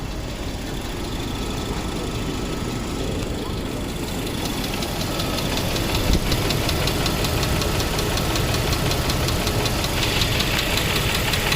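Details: Mercedes W140 S500 at idle after a long trip on Rotella oil, Rislone additive being tried. Sharp, fairly even ticking about two or three taps a second, loud; valvetrain tap, owner suspects a noisy lifter.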